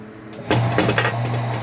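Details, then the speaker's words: 1 HP centrifugal water pump with 161–193 µF starting capacitor connected: sharp switch-on, motor reaches speed within a fraction of a second into a steady strong hum; capacitor gives quick start, normal. "how the pump started and observe the force that the pump has, that is, our starting capacitor gave it the necessary impulse much faster so that this pump can start, breaking the inertia of 75 of its nominal speed"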